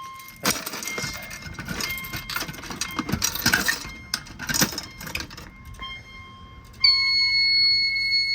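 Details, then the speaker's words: Fire-Lite MS-9200UD fire alarm system reset: handling clatter, then a steady high electronic chime-strobe tone that tails off and falls silent; normal stop after reset. "hear that chime strobe just die down like that."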